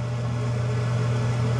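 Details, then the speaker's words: Newly installed bathroom exhaust fan/light in the ceiling running: a steady, soft low hum with no rattle or bearing noise. It is much quieter than the old fan, with a slow, gentle startup; normal operation. "Let me turn the fan on, and I don't know if you can tell the difference, but it is much quieter. You can still hear it,"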